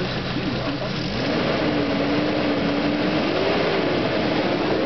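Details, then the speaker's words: 1986 Toyota van engine at operating temperature with a modified clutch fan (new groove cut in the casting), a whooshing roar building as the fan engages, then quieting as it disengages; normal fan clutch engagement. "he as you can hear now the fan is engaging but you'll hear it quiet down here in a minute okay so the fan is uh disengaged"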